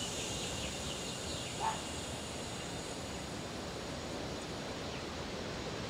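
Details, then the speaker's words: Car AC system being filled with nitrogen to 150 psi for a leak test after a failure at the upper bracket: a steady, even hiss of gas flowing in, which stops once the fill is done. "my gauge is here it's flowing in you can hear the"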